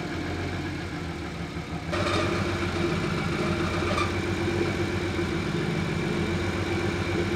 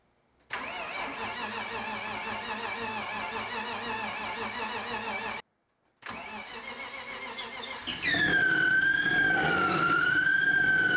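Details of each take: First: BMW E36 turbo, M50 engine rebuild, restart: engine catches and settles into steady, even idle with light tick; faint high-pitched noise briefly audible then fades away; normal idle. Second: Turbo BMW E36 with rebuilt M50 engine, first start after months sitting, oil pressure 60 psi: cranks, catches, cuts out, restarts, then loud high squeal wavering with revs from somewhere in engine bay; source unknown.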